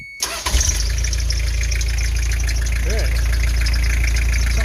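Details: 3-liter non-turbo diesel Toyota HiAce after timing belt, water pump and hydraulic alternator replacement, started after glow plugs cycle: cranks briefly, catches at once, settles into steady, even diesel idle with no knocks or misses; normal start and idle.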